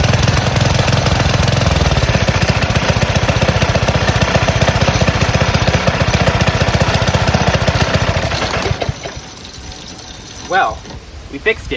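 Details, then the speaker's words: Small single-cylinder gas engine on a go-kart converted from electric, after a new carburetor, started on choke: it catches and holds a steady rapid putter for about eight seconds before shutting off. It is running normally. "That's it. Works perfectly."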